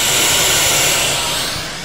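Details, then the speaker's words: Behringer audio mixer bought August 2013, April 2014: loud steady static hiss from speakers with all channels muted and effects down; hiss stops when master volume turned fully down, fading slightly at end. "static noise is coming out of the speakers but as you can see everything is muted no sound coming out of anywhere so what is that horrible sound"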